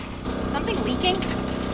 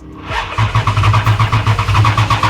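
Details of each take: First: 1941 Dodge 3 Window Coupe with Mopar 440 big block: steady rushing gush of liquid over a low engine rumble just after start-up; coolant pouring out through a blown freeze plug. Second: Mopar 440 big-block V8 in a 1941 Dodge 3-window business coupe hot rod, first start after storage: even cranking at about four turns a second, then it catches and runs up smoothly with no knocks; a sound start.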